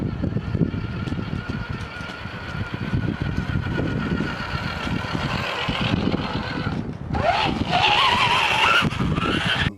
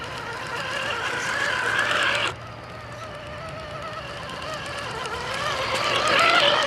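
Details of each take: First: Axial RR10 Bomber RC truck after repacking the under-greased drivetrain with grease: steady electric motor whine rising with speed, previous clicking gone. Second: Axial RR10 Bomber RC crawler: small electric drivetrain whine with a faint repeating click, first suspected as sand or gravel in the driveline but actually a transmission lacking grease.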